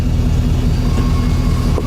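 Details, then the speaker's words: 2006 Ford F-150 with electronic returnless fuel system and PWM fuel pump, intermittent low power and lean codes, engine running with fuel pressure raised very high: steady thin whine over low engine drone; pump singing at high pressure but holding. "That pump is singing right now at this pressure, but it's able to hold it. I mean, it sounds kind of bad,"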